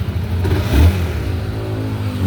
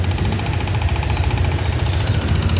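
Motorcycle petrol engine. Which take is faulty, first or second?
second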